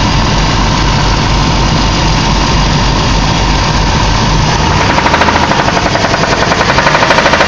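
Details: 2001 Caravan engine knock: loud, rough engine run with a rapid, regular tapping knock rising above the engine noise partway through and keeping pace with it.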